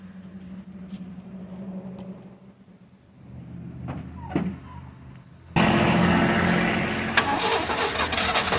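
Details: 1979 Ford High Boy truck, first start after tackling a bad carburetor, priming with gas and new fuel pump: cranks a few seconds, then catches and runs with uneven lumpy beat; rough running, carburetor mixture needs adjusting.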